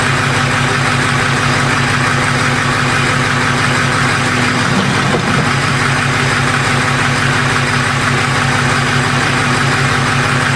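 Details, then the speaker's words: 2005 Ford F-250 6.0 diesel idling while parked, with a steady, slightly uneven clatter of about three pulses a second. After sitting at idle it cuts off and won't restart until it has sat for a while; the cause is unknown. "let's try to go cut off just sit in their Island just goes right off and it won't it won't start back up till you let it sit"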